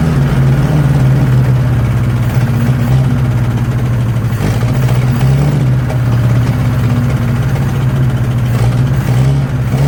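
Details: 1963 Nissan Junior ute, sat 15 years, carburetor leaking: slightly uneven, hunting low drone that won't settle to idle; a vacuum leak, so it runs lean.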